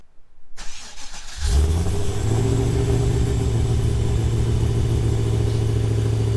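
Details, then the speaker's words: Cammed LS1 VY ute with T56, 274 kW on dyno, rev limit 6800: cold start with brief starter whir, then strong even lumpy idle with deep but fairly tame exhaust note; healthy cold start. "So as you can hear, it's still tamed. Wish it was a bit louder, but it is a daily, so nothing, it'll do for now."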